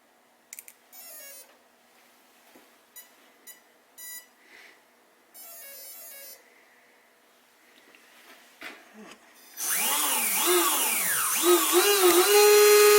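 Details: Castle Creations XLX ESC after crash-shorted-leads repair, bench-tested on 3S pack with alligator clips, light load: short run of startup beeps then smooth motor whine rising and falling with throttle; ESC arms and drives motor normally.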